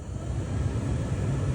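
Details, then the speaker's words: Honda Element heater blower on low speed after swapping the blower transistor: soft steady airflow rumble, no whistle or whine; previous AM-static-like whistle, absent on high, traced to the transistor, not the blower motor. "is that low that's low right there two 3 4 5 all no sounds at all"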